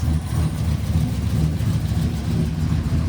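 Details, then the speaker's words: Truck with a freshly swapped replacement engine with a stage 3 cam, exhaust cutout closed, running very rich on an unsorted tune: deep V8 idle with an uneven stumbling beat and dropped pulses; suspected miss at idle, possibly just richness. "Alright, I'm gonna shut it off because yeah, it does sound like it has a miss. That's new."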